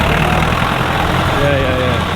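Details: Feeder tractor being looked at to buy, warm diesel idle: steady, even, smooth low drone with no misses or knocks, running a lot nicer now. Normal idle.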